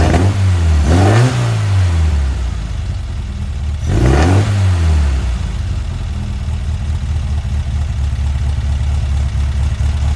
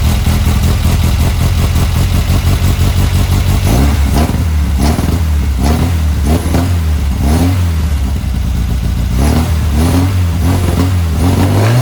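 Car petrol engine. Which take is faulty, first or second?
first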